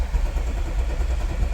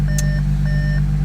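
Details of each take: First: 2014 Audi SQ5 3.0 turbo diesel, very high kilometres, towed in with crank-no-start: lumpy, uneven cranking beat with one stroke lighter than the rest and no catch, sounds like one cylinder down on compression. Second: 2014 Audi SQ5 3.0 turbo diesel, high kilometres, after repair of crank-no-start, first-go start: smooth, constant low idle hum with no misfire or knock under a repeating warning chime; idling very well.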